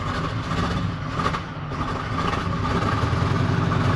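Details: 1972 Chevy C50 big block rollback, first start after sitting several years with bad gas and battery, using electric fuel pump and choke: deep, steady low rumble settling into even idle, oil pressure up, no knocks or misses; normal idle.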